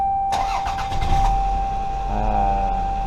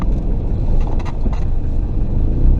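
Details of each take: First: 1996–2000 Toyota RAV4 3S-FE engine after repairing an exhaust leak by welding: it cranks briefly, catches and settles into a smooth, steady idle with no exhaust ticking; the weld holds. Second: Exhaust leak at the flex pipe on a 1996-2000 Toyota RAV4 with 3S-FE engine: ticking right at startup, then a deep raspy rumble that grows louder while driving slowly; fixed by welding.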